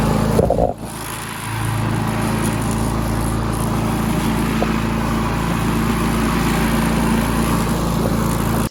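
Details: Push mower that sat 6 years with water in the engine, after a new head gasket, with the governor disconnected and throttle adjusted: the single-cylinder engine keeps an even, steady beat at fixed throttle with no misses or knocks. It runs normally.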